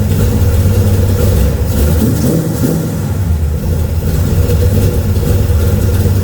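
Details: LS-powered Camaro with freshly built naturally aspirated HP-series carburetor (small 600 fitted), first fire-up for base tune, no leaks: throaty V8 holding steady even idle with clean response to light revs; runs healthy.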